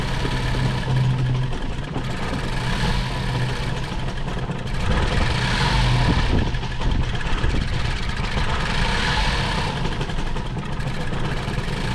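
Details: 2014 Ford Focus with over 200,000 miles, bad idle and unresponsive throttle, just after new spark plugs: freshly started engine runs lumpy and uneven, idle wandering instead of settling; cause still unknown.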